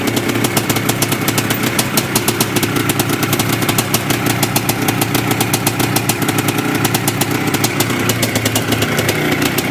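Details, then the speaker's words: Yamaha IT490 two-stroke, freshly installed engine, running 40:1 premix after a few heat cycles, with a temporary silencer stuck on; crisp, steady popping at a fast even beat with no misses or rattles, idling healthy. "anyways we're fired up it's good enough for now while i'm waiting for proper parts to come"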